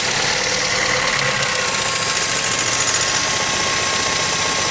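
Engine idling with a harsh, busy hiss-heavy clatter and no clean steady beat; sounds like a rough, uneven idle, cause unclear.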